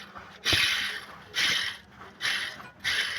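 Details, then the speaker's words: Fiat Siena engine being disassembled, brought in for engine knocking and oil light staying on: gritty rasping growl surging about once a second; timing belt bearing singing, replacement left to customer though it may seize. "roncando até demais, tá bom? A correia é essa que tá aqui, ó."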